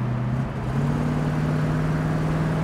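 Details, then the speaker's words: 1965 Ford Mustang Fastback on a road drive: a deep, steady exhaust drone climbs smoothly in pitch as the car first accelerates, with no misses or knocks. The car runs smoothly with no vibration, and the exhaust sounds healthy and normal. "you can hear it when we when we first accelerate you can hear it's kind of cool but real nice smooth ride"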